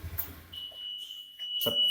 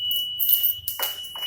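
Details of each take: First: Motorcycle fitted with WiFi Smart Motor V1 keyless Android alarm, ignition key switched off: high steady tone over a second then short chirps; alarm arming automatically at switch-off. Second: Motorcycle fitted with WiFi smart keyless alarm, anti-theft triggered by forced opening or vibration: constant shrill high beep under handling noise and knocks; alarm sounding.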